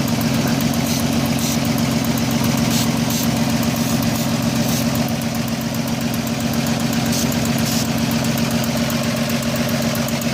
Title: Vacuum leak?